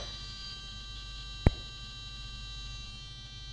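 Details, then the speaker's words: A DJI Phantom 2 Vision drone's gimbal servo makes a steady, high, modem-like electronic buzz at power-on with the radio on, which is normal. "uh this sound is like my old modem honestly um it's a noise made by this uh Servo which is uh controlling the gimbal"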